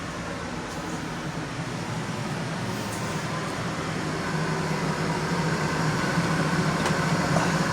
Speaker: This is the air conditioner. I added the um so it didn't you know bend the fins. You can hear the the noisy one.